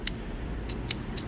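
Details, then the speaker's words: Relay from the HV battery of a flood-damaged Hyundai Ioniq hybrid, opened up and given low voltage on the bench: crisp, sharp clicks, about five in a second and a half, over a quiet hiss. The relay still activates normally. "i'm just going to apply low voltage to see if this relay activates all right well apparently it's working pretty sure you can hear the noise right"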